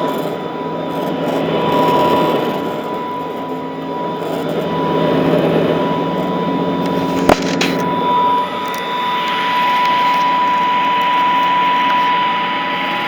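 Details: Vintage all-metal Royal Model 153 vacuum, owned 22 years, 3-amp bushing-style motor with belt tension kept light; steady, even quiet hum with constant tone near 1 kHz, no knocks or grinding; normal running.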